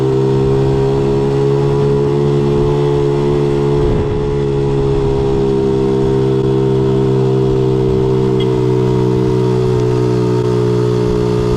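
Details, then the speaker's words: 1976 Honda Z50J1 monkey bike after ignition timing, points and coil work: small single ticks over at a steady, even idle with a smooth, regular beat, no misses or stumbles; running properly. "About there, I think. Sounds good. Sounds really good."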